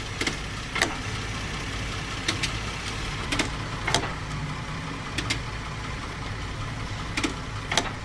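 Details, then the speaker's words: Automatic transmission vehicle at idle: sharp, irregular knocks every second or two, a thud that may come when shifting into gear. Damaged transmission mounts let the drivetrain move, not an internal or electronic gearbox fault. "Este golpe puede o no suceder al momento de insertar las velocidades y también no es un problema interno de la caja ni de las cosas electrónicas, sino que los soportes de la transmisión automática están dañados y se podrían observar algo así."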